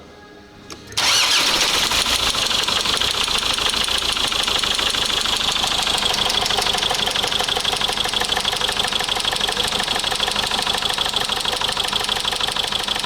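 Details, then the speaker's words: 2004 Mazda 6 2.0 MZR-CD diesel, original engine catches and runs busily with a sharp repetitive knock; cylinder 2 injector correction negative, valvetrain or injector suspected but valve cover showed nothing; engine proved knocked out and replaced; oil-pressure sensor wire found broken. "Уххухх. Бачиш? Зразу якось крутиш нема, а потом появляється."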